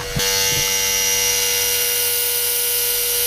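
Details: Electric vacuum pump on an Audi A3 with the bleed valve opened wide, vacuum down to about 10 inHg: steady high electric whine with fixed hum, even and unbroken; normal running.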